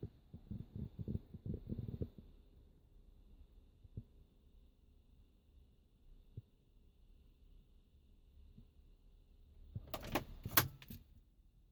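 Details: 2002 BMW Mini Cooper S R53 won't start: single dry clicks at each key turn, no cranking; 3-year-old battery charged and good, jump leads, fuses and rocking in gear tried, dash normal, no errors.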